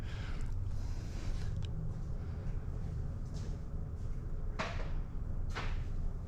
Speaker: if you can hear that squeak sound that means you're getting a really good cut on the material that's what you're hoping to hear that means you have really good pressure